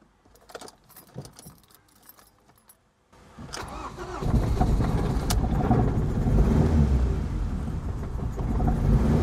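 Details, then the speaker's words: Ford Mondeo Mk3 in neutral with codes P0301 and P0304, just after replacing carbon-fouled spark plugs: keys rattle, engine catches and shakes with uneven stumbling idle, then cuts out; bad misfire, no check engine light. "it sounds awful but curiously there's no check engine light that's definitely misfiring yeah and it's cut out let's try again"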